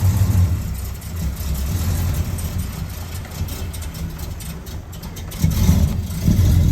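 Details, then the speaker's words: 1972 Oldsmobile Cutlass big-block V8, off the road since the 1990s, first run on revival: rough low rumble that sags and dies because the fuel pump came off the battery; fuel starvation stall. "all right it died but that's because the fuel pump came off the battery"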